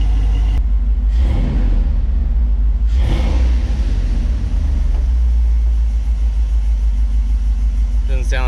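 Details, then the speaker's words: Dodge 5.2L/5.9L Magnum V8 pickup idling hot after Gibson shorty header install, run 10-15 minutes before final bolt tightening; deep, steady rumble with no puffing or ticking at the headers, slightly more valvetrain noise audible; no exhaust leaks, normal idle. "have any exhaust leaks which is good you hear a bit more valve train noise but I don't hear any exhaust leaks"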